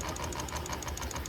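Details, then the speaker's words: DIY propane hot tub heater pump: pulsing rattle about six beats a second over a low hum; kinked vinyl suction hose flattening and restricting flow to the heater. "Okay, so the vinyl hose has, it's hard to see on camera. It's flying, which is restricting the flow to the heater. You can kind of hear it, even if I turn it down or turn it up."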